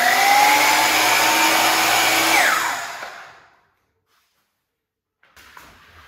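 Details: DeWalt DW717 miter saw motor screams with a harsh rough whine, working harder and noisier, then winds down and stops; suspected worn motor bearing (large 6302 2RSJ, small 608 2RSJ), not confirmed.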